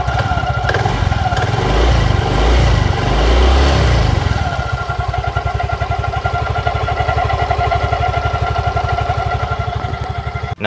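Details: Yamaha Fino scooter, three years old, ridden daily, idling: fast rhythmic clatter and ringing tone from the CVT belt drive, occurring only intermittently; traced to an unevenly worn front drive pulley.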